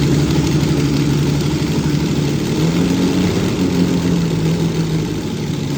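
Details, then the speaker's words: 6th production Lamborghini, original V12 engine, not run properly for a while: loud, lumpy, stumbling idle, not firing on all 12 cylinders with some spark plugs not working; misfire. "So, what I'm going to do is do a few tricks to uh see if I can coax this into into on back onto 12 cylinders without taking the spark plugs out. even though some of them are not working."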